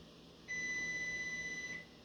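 One steady high-pitched beep lasting about a second and a half in a quiet room; the oven is signalling, reason unknown.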